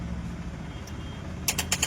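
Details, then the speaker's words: Tata Intra V10 BS6 in neutral with ignition on and check-engine/OBD lights blinking, starter relay bypassed with a jumper wire: rapid sharp clicking, about eight a second, with no cranking; starter chattering from voltage drop in its supply line. "और इसको हम यहां पे touch किए हैं। यह देखिए cut cut कर कट कट कर रहा है।"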